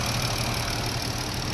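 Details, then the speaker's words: 2017 Jeep 3.6 V6 after rocker arm, oil cooler, spark plug and coil pack replacement: steady even idle, no ticking, no check engine light; normal. "yeah okay sounds really good no check engine light no nothing like that no checking of light"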